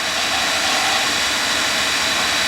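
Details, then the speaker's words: Oil burner after new 275-gallon tank and new filter gasket/element, motor run with 5/16 bleeder open and no spark to prime the pump: steady even hum and rushing whir, no knocks or surging; pump primed with good oil flow. "Basically, I'm just running the motor. So there's no oil being pumped in anywhere. I got this open a couple of good turns. Um there's no spark happening. Ain't going to This is just strictly for priming the pump."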